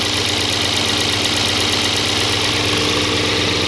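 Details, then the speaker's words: 2002 Audi S6 C5 4.2 V8 ANK, automatic, after rebuild and first test drive: idle with constant light metallic chatter about two clicks a second from the right cylinder head near the tensioner; cam adjuster (phaser) knocking, oil pressure needle fluctuating until oil passes about 60 °C. "Після вчорашнього тест-драйву з'явилися шуми в цій головці. Десь в районі натяжника."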